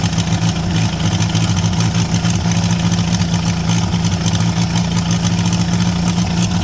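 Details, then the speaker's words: International Harvester B275 diesel tractor, started with glow plugs and ether: roars flat out at a steady high pitch with no governor control. Runaway, caused by an injection-pump rod not pulling fully back to shut off. "we went ahead got that to turn over and start uh but then it kind of ran away from us so I did a little more digging on this pump and the issue that we had was this Rod was not getting pulled all the way back to shut this off"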